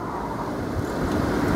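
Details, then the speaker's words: Mercedes-Benz C200 Kompressor after cleaning the SAM unit circuit board: steady even airy heater blower rush, no rattles or catching; heater now works, though indicators and electric windows still don't; normal blower operation. "let me try the heater yep the heater's working as well"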